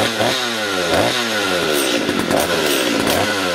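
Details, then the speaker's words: Stihl chainsaw with poor acceleration and erratic idle, after turning the carburetor adjusting screw slightly counterclockwise: the two-stroke revs up cleanly with a rising buzz and no stumble or bogging. Normal acceleration after adjustment. "here you got it my friend this was fortunately very simple repair it was basically adjustment not even repair"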